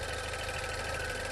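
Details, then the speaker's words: 2016 Range Rover Evoque, pre-purchase inspection, steady idle with light quick even ticking on top; source unclear, possibly normal for such engines but unconfirmed. "okay i can hear something clicking it doesn't sound scary but i can't say for sure that that it's normal"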